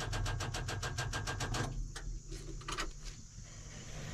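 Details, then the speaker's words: Excavator with two batteries, one reading 11.57 V (24 V total): rapid even clicking about seven per second, no cranking; batteries too weak, it starts when jumped from a truck, batteries to be replaced. "so I'm hoping you can hear the sound that's the sound it's on but it doesn't want to turn"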